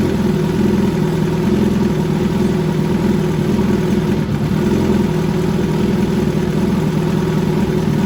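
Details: 2013 Suzuki GSX-R1000 Commemorative Edition restarted after an oil change gives a steady, even idle with a smooth hum and no clicking or ticking; the engine sounds healthy.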